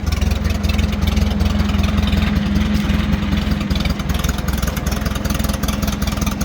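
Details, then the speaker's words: Case 310 gas bulldozer, thought to be late 1960s or early 1970s, just over 2,800 hours, sat a while and now on fresh gas: a steady low chugging idle, even pulses, no knocks or misses. Runs great and the hydraulics work. "But as you can see, it's running great. We put fresh gas in it. It had been sitting for a while, but it's running great."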